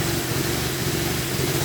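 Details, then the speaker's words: Crash-damaged 2015 VW Golf R manual, no radiator fitted, coolant and airbag warnings: engine catches and settles into slightly uneven, wavering lumpy idle; advertised as running lumpy, owners fear engine might be dead, cause unconfirmed. "It advertised as running but running lumpy on it. Yeah. So, we'll see. Engine might be dead, but we'll see."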